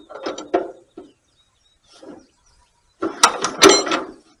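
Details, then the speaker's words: 1938 Allis Chalmers B tractor with the rare Waukesha gasoline engine, bought that morning, on full choke with fuel on: short clanking bursts of hand cranking with quiet gaps and no catch. The no-start comes from magneto timing set too advanced, and the mag needs going through. "And it sure ain't wanting to start. Might have to drag it around a little bit."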